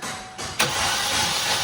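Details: Chevrolet Trax LT left stored, won't start after fuel pump and ignition coil were replaced: brief starter cranking with an even hissy whir and no firing catch; stale, sticky fuel suspected, not confirmed.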